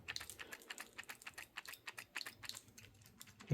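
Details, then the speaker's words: Craftsman V20 cordless drill running after overheating and smoking, then cooled: quick light plastic clicks rattling inside the case; later teardown found all motor plastic fan blades missing, cause uncertain (aging, vibration or overheating). "a rattle and chunks of something have been falling out of it. I don't know if it's plastic or what, but uh um this is not healthy anymore."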